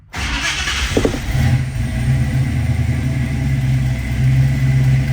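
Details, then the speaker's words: 1966 Ford Mustang V8, cold start after the fuel pump primes: short crank, catches almost instantly, strong even rumble with no misses or knocks. Healthy cold start. "fires right up. See over here on our water temperature, cold start."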